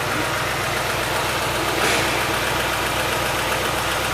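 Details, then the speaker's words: Car engine at warm idle, fan cycled five times, oil pressure about 2 bar and judged excellent: fast, light ticking about four a second, diagnosed as hydraulic lifter noise, not oil pressure, sludge or pickup; head removal if replacing lifters doesn't cure it. "aqui no caso é barulho de tucho não é problema de pressão não é sujeira no motor não é pescador de óleo"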